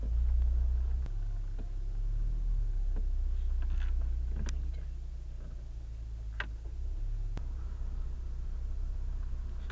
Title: Mk7 Golf R 9 examples of steering/suspension grinding sound